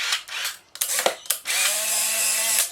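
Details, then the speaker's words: Restored Polaroid SX-70 cameras, one fitted with a brand new Mabuchi motor: short clicks, then an even high whirring gear run of about a second stopping cleanly; motor and gears cycle normally. "but they're all functional as you can see and hear it's interesting to hear the difference between the subtle types of Motors by the way in sx70 cameras"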